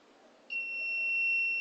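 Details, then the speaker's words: Wireless gas leakage transmitter and receiver demo with petrol held near the sensor: sharp, steady high-pitched beep switches on and holds continuously while the detector senses the fuel vapour. "so as long as it is detecting you can hear the sound and I hate the sound the sound shows that there is a liquid there's a liquid somewhere that is detecting the gas"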